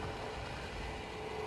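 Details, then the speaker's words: Newly installed bathroom LED light and exhaust fan combo, first test after wiring: a steady, even airy hum with a faint constant tone and no rattles. The fan runs smoothly and the vent blows out. "Okay, that's working properly."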